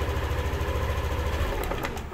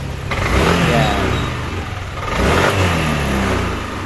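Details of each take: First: Yamaha Aerox version 2 scooter putters at idle, then a few clicks and it dies when throttle is applied; fuel pressure okay at 34 psi, dirty or clogged fuel injector suspected; battery also weak. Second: Yamaha Aerox v2 scooter after fuel injection cleaning, which fixed it stalling when throttled: engine blips the throttle twice, rising cleanly and settling back without stumbling or dying; normal throttle response.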